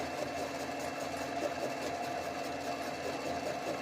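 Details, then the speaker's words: Mini lathe motor whine with a rhythmic chunk-chunk as the tool, with the cross feed moved in about 4 thou, bites only the high side of an out-of-round workpiece while cutting away runout along the X and Y axes. "That is uh the the runout being cut off."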